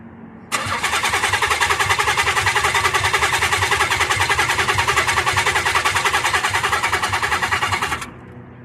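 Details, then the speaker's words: Nissan 300ZX after a new module and added/cleaned grounds: starter cranks evenly about seven seconds with no firing; injectors heard but no spark, possibly a bad new module or grounds. "Right now, car is in the run position. We have this out. We can hear the injectors, but no sparks still. It is possible we have a bad new module."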